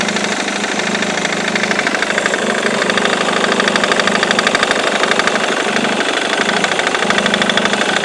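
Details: Ford Mondeo Mk3 2.0 TDCi diesel at idle: sharp fairly regular tick-knock about three per second over clatter; persists after new FEBI crankshaft pulley, accessory belt and tensioner four months ago; source not found.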